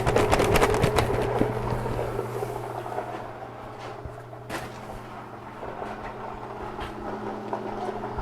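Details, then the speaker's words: Pump in a bulk sugar-syrup tank for bee feeding: steady hum under a rapid gravelly crackle that fades after a couple of seconds; cavitation from sugar piling up on the bottom around the pump. "that sound of the is cavitation means the sugar is piling up around up on the bottom around the pump"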